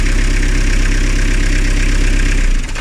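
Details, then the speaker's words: Diesel car engine, rebuilt 2–3 years ago after overheating, with newly replaced belt: steady even idle, no chirping/rattling noise from the belt drive; normal idle. "Bakın ses, o şıkırdama sesi falan vesaire hiçbir şey yok."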